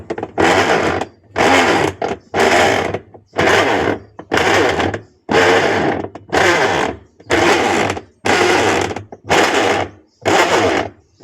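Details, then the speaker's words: Sharp ES-818X 8 kg washing machine: harsh grinding rumble each agitation stroke, about one a second, louder when the drum is loaded (held by hand to simulate clothes); fault traced to the gearbox. Washer gearbox noise under load. "Ada load bila dia berat dia bunyi macam tu. So apa masalah dia? Okey kalau mesin kau orang bunyi macam ni confirm masalah tu berpunca daripada dia punya gearbox ni."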